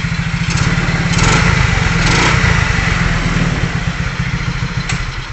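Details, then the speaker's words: Single-cylinder motorcycle with a 4-pin battery-operated CDI and 4-wire ignition switch harness, started with no battery fitted; it catches and runs with an even, steady putter that swells briefly then settles into a clean, healthy idle. "Ayan. So umandar siya mga kabiker."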